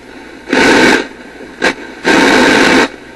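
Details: Grundig 2540 AM/FM/SW tube radio after replacing the selenium rectifier with four silicon diodes, FM with wire antenna being tuned: bursts of loud hiss, no station coming through; FM still not receiving while AM works.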